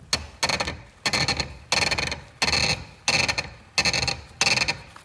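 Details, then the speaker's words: 2014 Fiat Doblo Cargo van, removed strut held in a vise and twisted: repeated dry scratchy creaks about every three-quarters second; worn strut top mount causing the creak heard when turning the wheel. "that's the cre and knise that we were getting we turning the wheel"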